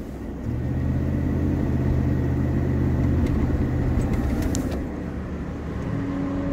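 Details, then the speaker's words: 2004 Chevy Tahoe driving: road drone with a whine that builds with speed, faint at 25 mph and louder toward 35-40, present on throttle and gone off throttle. Suspected worn front differential ring, pinion and bearing; front diff being replaced. "so I think it's the front differential sounds like the ring and pinion gear and bearing whenever I give it gas it starts blinding when I let off it quits around 40"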